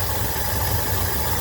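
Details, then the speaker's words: Cadillac 8-6-4 with a new idle speed motor and rebuilt ECM, not run for 3 months: an uneven, lumpy idle around 800–900 rpm (spec 1500) with weak pulses, a suspected misfire on one cylinder; no codes set. "Well, I've got her up and running. Um, and the meter's working, showing me around 8 or 900 RPM, but it's running kind of rough. Um, sounds like it's got a misfire."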